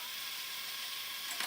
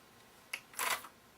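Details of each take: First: TEAC V-900X cassette deck after a belt change and adjustment of the pause potentiometer on the lift/door control board: short whirs and clicks every two seconds or so with a faint motor hum; the transport now engages properly. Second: TEAC V900X cassette deck with transport problems before its belt change and variable-resistor adjustment: a light click, then a short harsh clatter as the transport stops abruptly, rough stop mechanism.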